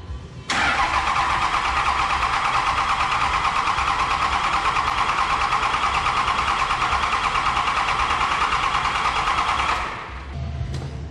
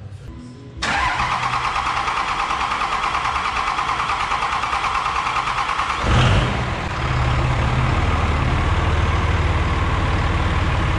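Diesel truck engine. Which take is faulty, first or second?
first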